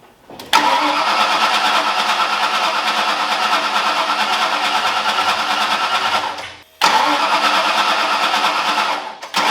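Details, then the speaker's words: Ford Foxbody V8 just rebuilt in one day, running after fixing another missing ground; catches quickly and settles into a steady, even run, cuts off, then restarts cleanly; firing on all cylinders, no oil leaks, warmed to about 200 degrees. "all right guys just as I thought thing runs fantastic looks great"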